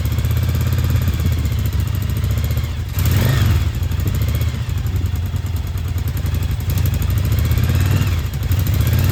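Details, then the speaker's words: Restored Yamaha Virago 1000 V-twin idling on its first start in about a year, after a new starter, fresh gas and new intake and exhaust gaskets: deep, lumpy idle holding steady with no knocks, misses or rattles. Running healthy. "So here it is, it's a big deal - the bike's running again and it sounds fantastic and I'm so happy."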